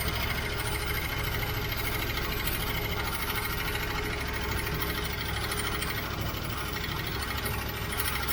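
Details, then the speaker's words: 1967 Ford Mustang 390 V8, carbureted, choke on, after about 15 minutes still not fully warm (~123°F at radiator): fast light ticking over uneven loping idle, not running right; lifter tick persists, cause unconfirmed, vacuum leaks noted. "unfortunately my um lifter tick did not go away either and it still feels like it's only running on I don't know it's not not running good"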